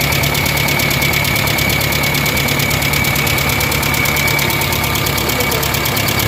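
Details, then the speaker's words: Kia Pride engine suddenly at high rpm with loud, harsh rapid valve-train tapping/knocking; exhaust-side rocker arm lash adjusters stuck solid with no play. "grabi ang lakas ng makina guys kinabahan ako pagpa ko pa lang dahil biglang High RPM so ang lakas ng knocking so nakakatakot"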